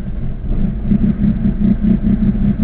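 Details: Acura Integra with B18 engine, previously running fine, now won't start without pressing the gas: idle pulses unevenly with a lumpy, loping, cam-like beat, never settling smooth; rough idle, cause unknown.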